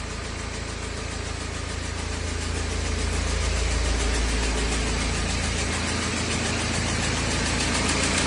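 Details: BMW E92 320d with N47 diesel at idle, with a fast, even tick of about three per second riding over a steady idle. Source of the ticking unknown.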